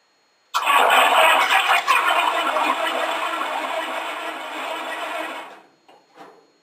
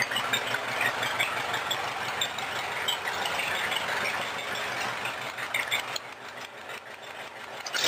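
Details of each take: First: 1953 Cadillac V8 in a homemade rat rod: about five seconds of even cranking, roughly three turns a second, with a faint sputter but no catch. Six-volt battery couldn't spin it fast enough. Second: 1953 Cadillac V8 in a homemade rat rod after setting the timing and a small carburetor adjustment, following a long sit: even, steady running with a regular beat, no misses, knocks or smoke. Runs great.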